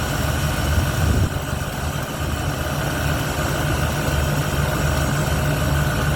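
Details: 1971 Ford Torino, rebuilt 302 V8 with C4, after slight carburetor idle mixture tweak (was a little lean): steady low burble with even beat, no misses or stumbles; revs and idles clean, carburetor needed little adjustment.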